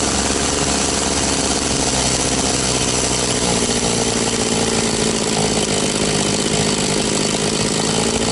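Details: Very high-hour Echo CS-670 chainsaw, after a high-speed tune, cutting: steady, high-pitched two-stroke howl holds even with no bogging or surging; runs strong and clean.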